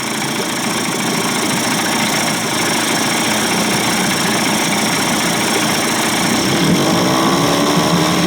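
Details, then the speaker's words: Johnson/Evinrude 25 to 35 hp two-stroke outboard conversion after low-speed timing sync and fuel pump test, idle deliberately set slightly high; even, fast buzzing idle, steady with no misses or knocks; sounds good. "I like my Motors to run a little high she sounds good man"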